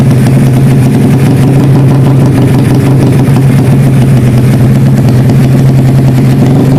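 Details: Karisma built to 160 cc with a racing camshaft, PWK 33 carburetor, 29/24 valves, GL CDI and open pipe: the single idles with a deep, uneven, stuttering beat rather than a smooth patter. The lope comes from the camshaft.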